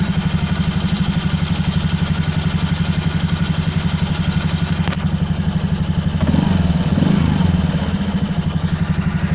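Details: Hayate scooter: engine running with a slightly uneven low thump, about four beats a second, sounding off though the exact fault is unclear; engine problem.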